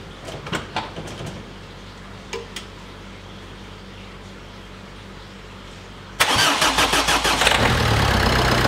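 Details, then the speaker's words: Citroën C2 modern diesel started just after an oil top-up, cold winter weather around -2 to -5 °C. Silence, then it catches into a loud, rattly, truck-like clatter that is said to quieten once warm; normal cold-start diesel clatter. "Oh, ce bruit de camion. Ah, c'est bien un diesel. Hein. C'est vraiment pas terrible comme bruit."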